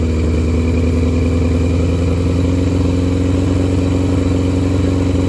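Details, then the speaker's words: Barn-find motorcycle on choke, running from an auxiliary fuel tank because its own tank is the suspected problem: even, steady multi-cylinder idle with no misses, running cleanly on all cylinders, with heavy smoke and a fuel leak. "But she has no problem running on all cylinders. Sounds good, looks good."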